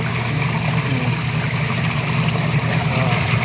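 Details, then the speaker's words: Twin tub washing machine during repair service: strong, even whirlpool-like churning over a steady low hum, no knocks or scraping; normal wash agitation, described as stronger than automatic machines. Belt should run level so it wears evenly. "Lakas na ikot eh oh. Parang ipo-ipo. Ito lang yung kaibahan nito sa mga automatic."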